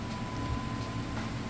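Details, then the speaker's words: Whirlpool Cabrio HE top-load washer on final spin getting up to speed, fastest around the two-minute mark: low steady rumble with faint constant tone, no banging or thumping; smooth, well balanced. "all right that spin cycle is now getting up to speed you can hear it fastest point is around the two minute mark"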